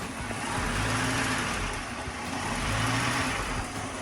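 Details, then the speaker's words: 1983 Mercedes-Benz W126 380SEC Euro grey-market, warm idle in park or drive: engine note swells and sags every couple of seconds as if about to stall, sometimes dying at stops; surging idle, cause unknown (vacuum leak or OVP relay suspected). "All right, guys, what causes this? It's surging. What causes that?"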